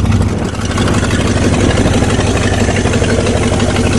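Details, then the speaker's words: Rusty Oldsmobile 88 with 307 V8, sitting 3 years, on 3+ year-old stale gas: uneven idle with the beat wandering and stumbling; rough idle, not running on all cylinders. "well she's got some shake like the Lincoln did you definitely not running on all the cylinders"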